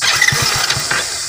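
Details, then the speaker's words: Hero Splendor BS6 motorcycle with check engine light on, after reconnecting an unplugged socket; catches with a few quick uneven firing pulses then fades within a second, repeatedly won't hold idle; stalling after start. "गाड़ी हमारी जो है देख सकते हो बार बार बंद हो रही है, देख सकते हो ये सिलो नहीं रोक रही है।"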